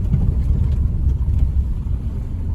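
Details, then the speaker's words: Renault Zoe ZE40 (5AQ motor) test drive after a motor bearing repair, pedestrian warning sound switched off: only low road and tyre rumble with no whine or hum from the motor and no suspension noise; drive unit sounds healthy. "yeah no noise at all from the motor can't hear anything from the suspension"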